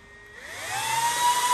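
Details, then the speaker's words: Server power supply being converted to power BMW programming: fans spin up in under a second to a steady, piercing high whine at full speed because the white fan speed-control wire isn't connected. Too loud for a workshop; jumpering that wire slows them. "And that is how loud the fans are. Which is obviously even too loud to have running in a workshop."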